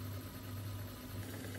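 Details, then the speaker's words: Mastertronic water analyzer, third stepper cycle with the reaction chamber left empty, empty motor pumping only air: low even motor hum with faint light rattle, which is expected from the empty chamber; normal dry running. "do not fill up again you will hear some rattling because the erection chamber is empty that's normal now do nothing the empty move to start it will of course be just the air because you didn't pull up anything this time"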